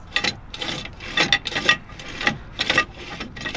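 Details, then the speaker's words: RV drum brake after complete brake failure, wheel spun by hand: uneven rasping, scraping rattle inside the drum instead of spinning freely; bearings suspected beyond help from greasing. "hear that rattling around in there? That's not supposed to do that. It's supposed to spin freely."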